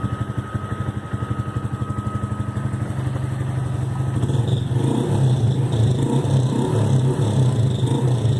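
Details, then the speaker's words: 160 motorcycle idling with a thin, steady high fuel-pump whine over the thump that fades as revs rise; the owner suspects something dry and has added oil to the fuel to try to lubricate the pump. "Porque, mano, esse barulhinho enche o saco. Eu acho que é alguma coisa seca só."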